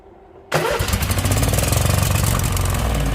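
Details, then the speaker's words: Husqvarna YTH2148 lawn tractor with Briggs and Stratton Vanguard V-twin, on choke: fires but runs ragged and stumbling, never settling to steady idle and dying; carburetor clogged, needs removal. "yeah so the carburetor is definitely got to come off ah well I don't know if I'm going to do that yeah so the carburetor is got to come off that was obvious right there"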